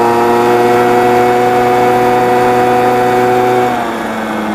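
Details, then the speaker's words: Honda Spree scooter after a $50 rebuild kit, new tire and brake repair, on the road at about 20 mph: steady, even buzz holding pitch and easing off near the end, pulling cleanly without stumbles; normal running under load. "But I'll tell you, it feels pretty fast when you're doing 20. And it's running better and better."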